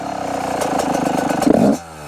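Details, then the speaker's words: Yamaha YZ125 two-stroke with Mikuni TMX carb, air screw three turns out: idle burbles, then stumbles and pulls sluggishly on a snapped throttle, a lean bog. "Hear that bogging when I whack the throttle."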